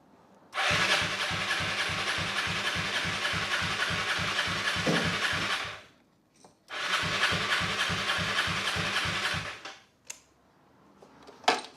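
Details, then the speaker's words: 2011 Aprilia RS4 125 (Piaggio engine), fuel pump heard working: two long bursts of steady starter cranking at about 3.5 beats per second, never firing; cranks but won't start, seller claimed no spark, unconfirmed. "Said it had no spark, which, spark plug in there. I'm going to believe him and say it doesn't have any spark."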